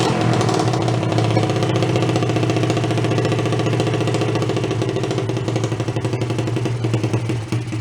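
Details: Free Chinese pit bike single-cylinder after carburettor float/fuel fix, first run: evenly firing, lumpy, slightly rough idle with steady low thump; runs fine, idle speed still to be adjusted.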